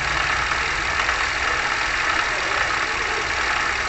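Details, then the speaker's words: 2017 Toyota Grand New Avanza Type G, warm idle: rough, gritty "krek krek" rasp riding over the engine, checked with a stethoscope. "Mari kita cek bersama-sama kira-kira dari Apa penyebab bunyi kasar dari mobil ini jadi bunyinya seperti ini ya ada bunyi krek krek krek krek"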